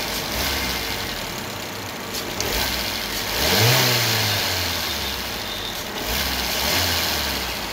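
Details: Maruti Eeco (petrol/gas) after cleaning carbon-fouled injectors that caused misfire on all four cylinders (codes P0300–P0304, cylinder 4 injector circuit low, P2271): engine blips up cleanly and settles to steady idle, no miss; normal revving.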